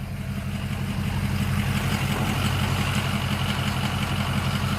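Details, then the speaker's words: 2005 truck compared with a misfiring flatbed: steady, even idle with a firm regular beat and no stumble or miss; it previously misfired. "yeah this one runs awesome i'll give it gas oh yeah that what a difference it is man"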